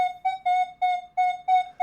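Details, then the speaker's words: Minelab Manticore metal detector at recovery speed 0: silver coin touching a square iron nail. Seven crisp high beeps in two seconds, then a brief lower grunt; coin heard perfectly, even with the nail swung more over the coil. "And with the recovery speed of 0, it hears it perfectly fine. Even when I swing forward and get the nail more over the coil, it's hearing"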